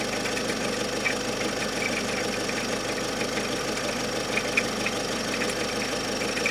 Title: Ховер Н5 дизель стук то есть то нет. От оборотов двигателя не зависит